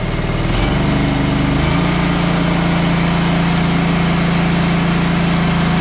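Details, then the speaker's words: John Deere 445 mower twin-cylinder running unevenly then steadying to a droning fast idle, blowing lots of oil smoke from the muffler; oil seen boiling at the bottom of the spark plug opening. "just started blowing a whole lot of oil huh that's not good right so i don't know if you could tell this but in there you could actually see the oil down the bottom of the spark plug opening boiling"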